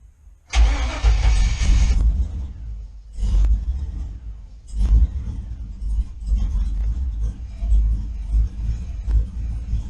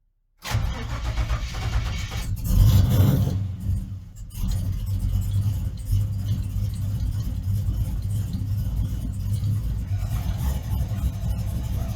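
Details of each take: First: GM engine with Fitech intake on HP Tuners, startup logging after repeated stalls: short crank with a throttle blip before it fires, then an uneven, lumpy idle surging while settling; hard start needing throttle. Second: GM truck engine with Fitech loaded intake manifold, Fitech injectors swapped for Deatschwerks and tuned with HP Tuners, started at -2 and snowing: catches quickly and settles into a steady, even idle with no stumble or hunting; starts and idles well.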